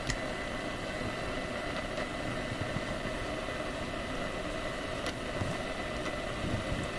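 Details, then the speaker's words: AM radio tuned to 1215 in a home shop; steady hiss with a faint constant buzz swamping broadcasts; owner suspects a USB hub's wall-wart power supply, noise frequency shifts as devices are plugged in; AM radio interference, unconfirmed. "I think it's actually the wall wart that's causing interference"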